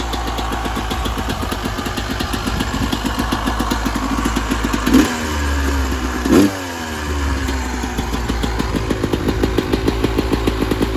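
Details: 1996 Yamaha YZ250 two-stroke after carb tune-up for rough low-end idle (pilot jet suspected), first start after a couple kicks, still cold: crisp steady even idle with two quick throttle blips settling cleanly; much better idle, carb running right.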